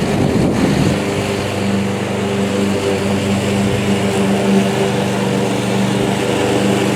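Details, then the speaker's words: "Ghetto fabulous" lawnmower started for the last mow of the year on a 65° late-October 2022 day, pull rope a bit tight, smoke show intended: small single-cylinder engine runs at a steady, even drone with no misses or knocks. It is running normally. "that's what a ghetto fabulous lawnmower should look like look at the Chooch ladies and gentlemen"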